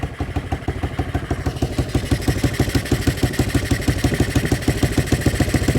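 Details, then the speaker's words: 1980 Honda XL185S single, run after sitting decades, choke off with idle turned up: crisp even thump about nine times a second, no clatter or misfires; sounds good, normal idle. "Let me see if I can turn this guy up. Turn the... Boy, turn this guy up. Oh, that sounds good."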